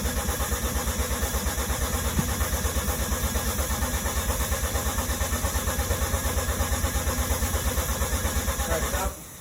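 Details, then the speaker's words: Mazda RX-7 FD rotary being cranked for the first time: steady cranking about three beats a second for nine seconds, never catches, then stops; crank no-start, lack of spark suspected but not yet confirmed. "we should make sure the car is getting sparked"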